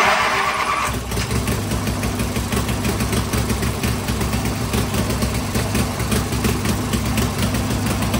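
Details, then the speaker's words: Tractor engine after 12 months standing, fresh oil, doors open: brief crank, catches within a second, settles to steady even low idle, traffic hum behind; normal start and idle. "so fingers crossed now should start up on the turn of the key"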